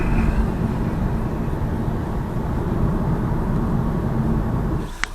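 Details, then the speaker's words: 2018 Lada Vesta Cross after padding the multimedia surround frame with double-sided foam tape: steady low road rumble over rough pavement, no buzzing or rattle from the frame; rattle from elsewhere in the dash remains. "Но нету дребезга этого. То есть простым таким способом убрали его."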